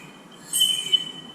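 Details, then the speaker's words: Brief, thin, high squeal that rises and fades in under a second while braking; the brakes squeal because they are worn out and finished. "it's your brakes that are squealing reason is because the brakes are done so if you hear that has annoys your brakes are finish"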